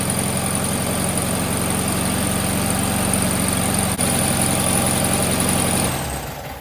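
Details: VW Sunbug air-cooled flat-four, just reinstalled with rebuilt transmission, mechanical oil pressure gauge fitted: even steady idle putter with a faint high whistle, no knocking, then clean shutoff; runs fine.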